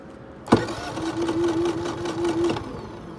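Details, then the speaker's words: Brand-new Generac iQ3500 inverter generator, about two hours old, with zero output and exhaust-melted plastic; hot engine, so no choke used: sharp clack then about two seconds of steady whirring crank that stops without catching; no-start, now won't kick over. "it's melted this plastic here and now we won't even kick over"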